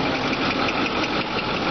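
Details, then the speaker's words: 2008 Ford F-350 King Ranch Super Duty diesel at idle: busy clatter with a faint repeating tapping knock mixed in; owner unsure of the cause. "sounds like you might have some kind of a Knockin noise not sure what that is"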